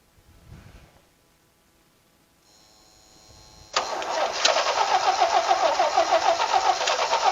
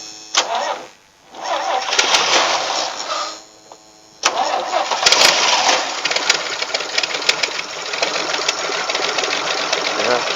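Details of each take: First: Vintage Toro golf-green tractor mower, later an airport tug, started on jumper pack and ether; after quiet fiddling the engine catches and settles into a steady, fairly even run around three and a half beats a second; running fine. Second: Vintage Toro golf/airport tug tractor, will-it-start on jumper pack: starter cranks, engine catches, dies, catches again and runs rough and uneven; owner suspects a bad carburettor float flooding the engine with gas.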